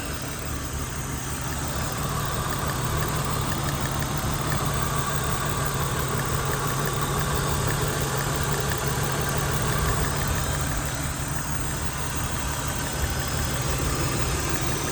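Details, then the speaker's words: 1997 BMW 328i E36, off the road 7 years: even, steady low idle hum with no knocks or stumbles; right side seems lower compression, no smoke; normal idle. "There it is, though. She's running."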